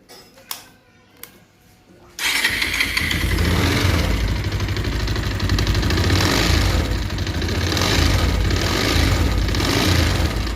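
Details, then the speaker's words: Bajaj Pulsar 220F BS6 motorcycle starting: a few clicks, then a busy idle with a metallic chattering rattle, which worsens once the engine heats up while riding; worn, slack timing chain needing replacement. "आप लोगों ने सुना जो engine का sound खराब है जब यह गाड़ी चलते चलते हीट हो जा रहा है उसके बाद साउंड और भी खराब हो जा रहा है तो इसका टाइमिंग चेन खराब है"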